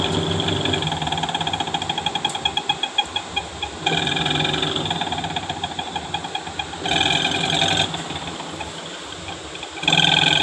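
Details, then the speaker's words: Panasonic Active Foam 8 kg washing machine, empty drum on spin: rapid rattling knocks in bursts with metallic whir. Mechanical drive noise during spin; gearbox and motor being checked. "Spin में आवाज़ आ रहा है, machine में कपड़े नहीं हैं। Check करते हैं प्रॉब्लम क्या है।"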